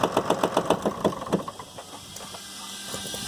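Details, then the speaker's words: Damaged 6.7 Cummins from a Ford F750, out of the truck, run on minimal wiring, air pressure building: rough start with uneven thuds and pops fading to a quieter run; popping back through intake, but no bottom-end knocks; engine otherwise sounds decent. "Okay, so now you can see it does run, with the exception of the, you know, popping back through the intake. It actually sounds pretty decent, didn't have any knocks in the bottom end or anything."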